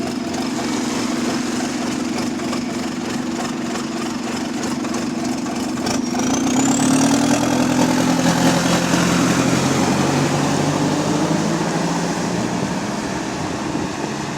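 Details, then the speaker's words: About 15-year-old diesel bus TUK 8324 idling: uneven surging jerky idle, puffing exhaust leak, and loud rising whine from the hydraulic cooling fan running constantly; cause suspected, not confirmed. "So that's got a jerky idle, it's got an exhaust leak, and it's got the hydraulic cooling channel for 24/7."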